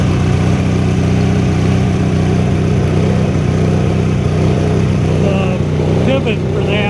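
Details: 1983 Sears Craftsman GTV/16 Varidrive garden tractor, opposed-twin 16 hp Briggs & Stratton, after replacing noisy idler pulleys and drive belts (rough flat-belt pulley suspected): steady low engine drone, even beat, no squeal or slap; drive now quiet.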